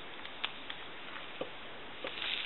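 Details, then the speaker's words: Dropped Takara French-style rotary desk telephone on a line with dial tone removed: faint hiss with irregular pops, crackles and sizzling from the handset, caused by the worn T1 carbon transmitter. "and I want you to hear that there's all kinds of cracking and popping and sizzling coming from this handset and that's basically from the T1"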